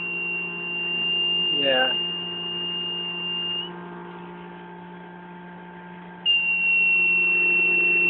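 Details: Prototype motor-generator (12 V motor, twin bridge rectifiers, about 12–13 V output): a steady high-pitched squeal from the AC side drops out and returns over a low electrical hum. The squeal rises as the motor speeds up; cause unclear.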